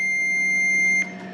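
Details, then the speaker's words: Fluke 88V multimeter testing a non-spinning Delta Shopmaster GR450 8-inch grinder, from the motor wiring through a wire nut to a plug blade: a steady high beep for about a second, then a clean cutoff; continuity is present. "Alright, you should be able to hear it. We do have continuity."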